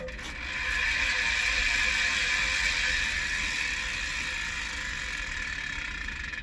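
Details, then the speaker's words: Gravel bike rear wheel after removing a loose plastic piece that rattled inside; spins freely with soft whoosh and even freehub ticking, no rattle; normal quiet wheel spin. "Все, ничего не тарахтит. Отлично."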